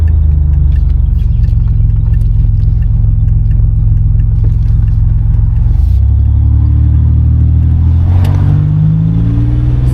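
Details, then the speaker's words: 1987 Buick Grand National on a road drive, shifting smooth: deep steady engine rumble, then a rising whistle climbs over it as the throttle opens and the turbo spools up; normal turbo spool. "Let's go ahead and hit her a little bit. You can hear that turbo going up to about 50."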